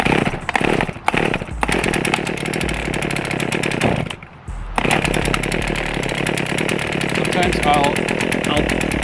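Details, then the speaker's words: Small two-stroke engine, cold start after priming the bulb and setting the choke: fires to a high buzzy note that briefly dips and recovers while warming on choke; normal cold running. "you want to squeeze it so you feel some pressure put it in your choke position it's fired"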